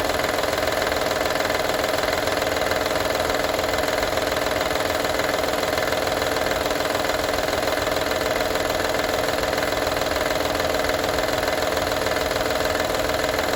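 Constant idle with a fast, even metallic rattle, roughly three a second, riding over it; the rattle's source isn't clear.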